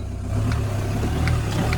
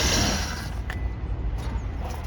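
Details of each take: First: 2010 used auction car, mileage 129, at first start-up: smooth, even low engine hum with a slight rev rise and no knocks or rattles. Sounds healthy, though coolant was found leaking afterward. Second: Peugeot Bipper Tepee automatic bought at auction: a few clicks, then the starter catches and the engine settles into an uneven, lumpy, wavering idle; rough running engine.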